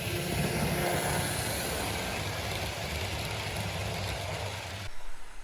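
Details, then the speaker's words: Serviced 1950s Olympic Express HO B&O GP7 diesel, formerly seized motor freed and oiled, wheels cleaned, pulling a train: smooth steady motor hum with no catching or grinding; runs normally. "so the diesel seems to be running pretty darn well there's just one more thing I want to check out and that's the low speed"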